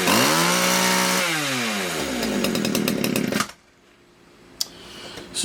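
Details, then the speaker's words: Poulan Wood Shark chainsaw with 14-inch bar, no-start diagnosis, possibly flooded: screams briefly, then sags in pitch, sputters and dies within seconds; stalling after start, seems a little floody. "a little floody for some reason"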